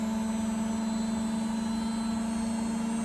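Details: Beko WTG620M2W slimline washing machine, drum at high spin speed after new plug fitted: steady even hum, constant mid-low tone, no knocking or grinding; machine apparently working fine. Normal spin cycle.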